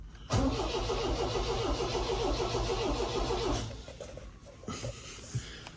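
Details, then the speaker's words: MGB GT after 20 years in storage, first start attempt with choke out and fuel pump freshly cleaned and ticking; starter cranks about three seconds without firing. Weak spark found afterward, points to be cleaned. "Pump's ticking a bit more. Put the choke in a second. I don't think it wants to"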